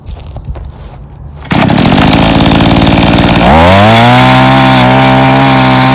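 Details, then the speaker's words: Mantis Mini Tiller two-stroke with new carburetor and fuel line, after carb adjustment, tilling yard soil with some rocks: fires, climbs to a clean steady high buzz holding pitch while digging; pulls strongly under load. "All right. So, we're just going to till this little area here. See how well it does."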